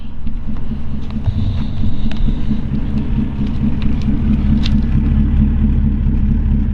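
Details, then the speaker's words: 1941 Cadillac Deluxe Convertible Coupe with Hydra-Matic, idling at about 400–450 rpm as the Hydra-Matic needs, heard from the rear. A low, soft, even rumble that is barely audible, with no knocks or misses: a normal, healthy idle. "you just tell me it idles at 400 450 or so for the hydra-matic to work right"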